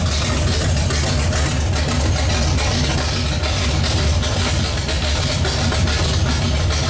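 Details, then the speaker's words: Pontiac 455 V8 just installed, running with no exhaust fitted. Loud, deep, steady idle with an even lumpy beat and no misses or knocks. Normal idle. "sounds good hopefully your runs as good as it sounds and uh we actually got to quiet it down because we got to put an exhaust on there but other than that smells like it's running good"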